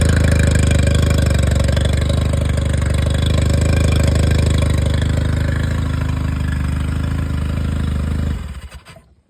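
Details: Yamaha 20 hp four-stroke outboard just after oil change with 1.6 liters of oil: engine catches and settles into a steady, even low idle with no knocks or misses, then shuts down cleanly; healthy.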